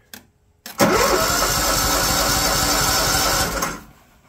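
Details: John Deere LT160 Automatic lawn tractor left outside for years, under 500 hours, cold start at about 32 degrees: starter turns briefly, small engine catches and runs evenly for a few seconds before shutting off; healthy cold start.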